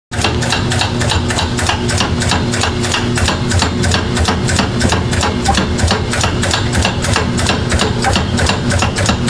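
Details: GE top-load washer drive motor making a loud, steady hammering knock about three times a second; gearbox suspected and replaced without effect; failing motor with internal speed-control actuator; old motor shed broken pieces of hard plastic.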